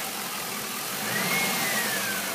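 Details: Stock 2002 Camaro Z28 LS1 V8 at idle: a light quick tapping in time with the engine. At first suspected a bearing; mechanics say it is a lifter.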